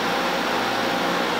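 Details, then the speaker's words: LG LHD659BL dehumidifier pulled from the trash: fan switched from high to low speed over a steady compressor hum, the unit vibrating normally; the compressor runs with no mechanical issue. "as you could hear that's the high speed that's low speed so the compressor is running"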